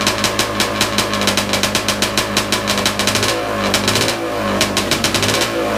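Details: Big-bore stroker 277 two-stroke snowmobile engine, first start after rebuild with new sleeve, primed beforehand: crisp, rapid popping with sharp even beats holding steady at idle and picking up cleanly; running healthy.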